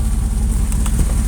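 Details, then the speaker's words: 2001 Dodge Ram gas truck with manifold and rear exhaust leaks, recent new IAC, rough idle and a TPS check-engine code, idling at about 40 degrees: steady, even low thrum, no stumbles; smooth normal idle. "actually idling really nice and smooth like she normally does and that's where she should idle around"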